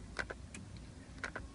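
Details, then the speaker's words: VW mk4 Golf/GTI/Jetta secondary air injection solenoid activated via scan tool output test: sharp paired ticks about once a second on command; solenoid electrically working, though it may still fail mechanically. "this needs to be ticking when it's sticking it means it's working and it might be still physically not working but the electric part of it is working"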